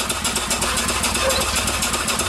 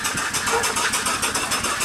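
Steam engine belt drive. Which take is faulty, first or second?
first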